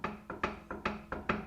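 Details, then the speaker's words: BMW E90 335i, wheel shaken by hand: quick hollow knocks about four a second from a wheel loose on its hub due to loose bolts, not a bushing or wheel bearing. "that is really loose let me put some light on this and see what's shaking let's see what's going on you know what it is it's just the wheel being loose on the hub itself like we've got some loose bolts here"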